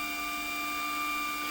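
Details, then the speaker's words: WorkBee CNC machine with new TB6600 Mach3 parallel-port controller, running a job milling a small brass coaster: steady, even high-pitched stepper whine, no knocks or missed-step clatter; normal. "it's a quite small job it's a actually a little coaster um which i've been milling in brass so it's not exactly moving very much but you should be editing the motors doing their thing"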